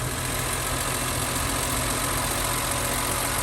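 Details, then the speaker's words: Newly bought, cheap BMW E46 M3 after a quick rev: smooth, even idle with a low steady rumble and no ticking or misses, settling quietly. Normal idle; the owner thinks it probably has a K&N filter. "And that's the magic there, mate. Listen how quiet that is."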